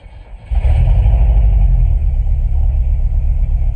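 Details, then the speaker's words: 1996 Chevy S10 after engine rebuild with milled head and ported intake, first start: catches about half a second in, settles into smooth, even low idle, quiet, no knocks or ticks; healthy. "Woo-wee. Sounds good. There we go, y'all. It's running. It's quiet."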